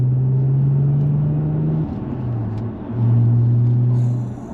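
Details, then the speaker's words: Audi S4 of about 418 hp with the X-pipe resonator deleted and new back boxes fitted to cure exhaust rasp: a deep, steady boom fills the cabin, swelling and easing with throttle, like an airplane. The rasp is reduced but there is more exhaust drone. "I know it sounds like an airplane it's booming it's very boomy I know it's going to drone"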